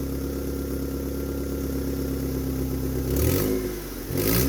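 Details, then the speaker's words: Mitsubishi car after repairing the cracked fuel pressure regulator–intake manifold vacuum hose by cutting off the damaged part: settles into a steady, even idle, picks up cleanly on two quick throttle blips and drops back smoothly; starts, revs and idles correctly. "Vemos que una vez reparada la manguera y reestablecida la conexión entre el colector de admisión y el regulador de presión de combustible, el motor enciende perfectamente, acelera y mantiene ralent correctamente."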